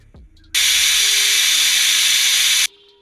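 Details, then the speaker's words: Paintball marker (pump) with an ongoing gas leak, recorded with noise suppression turned off: steady, loud high-pitched hiss for about two seconds, then stopping; leak seems worse, cause not found. "I don't know. It's still leaking. Let's uh It's like worse, which is crazy."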